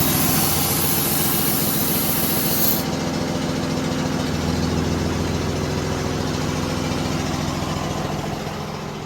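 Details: Freightliner M2 heavy diesel settles into an even idle rumble after suspension control valve replacement; a short hiss at start dies away, air tank heard still filling, no air leak bleeding underneath, healthy.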